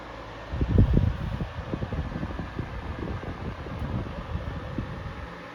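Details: Toastmaster 16-inch DeLuxe oscillating table fan running on medium: soft steady blade whoosh with a low rumble, no ticking or rubbing, airflow limited by the guard; bearings spin freely, normal running.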